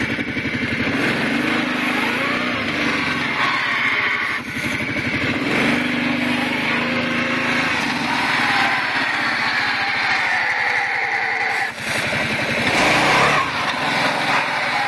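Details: Kawasaki Prairie 700 ATV: engine revs and drops back with a rough, gritty grinding as it slows; grinding only on deceleration, not in reverse, owner suspects clutch, not confirmed.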